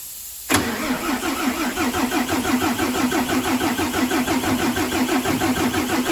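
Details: Mercedes Axor truck, OM457 diesel, first start after full engine rebuild for knocking, fuel bled and filters changed: brief crank, catches cleanly into even diesel idle with steady beat and no knock; normal.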